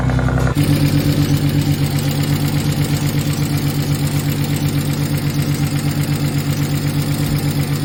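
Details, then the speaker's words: BMW E46 turbo at idle with an even, fast tick about three per second, like a knock or exhaust leak. Cause not pinned down: the noise persisted after retightening the exhaust, removing the valve cover and swapping the cam covers for the PCV system. "It was making almost like a knocking noise or an exhaust leak noise, so I took all the exhaust, everything off, retightened everything, removed the valve cover even, and swapped the cam covers for the PCV system."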